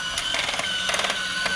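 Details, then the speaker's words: Discovery Mindblown 4-cylinder model engine kit, just assembled: small motor whirs under uneven clicking, grinding bursts; gear at the back is skipping teeth while crankshaft and timing belt turn, cause not yet found. "This is it running. My gear is skipping a little. I'm going to see if I can fix it."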